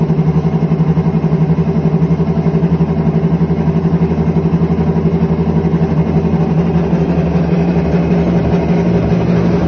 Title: IPSO commercial washer - bad bearings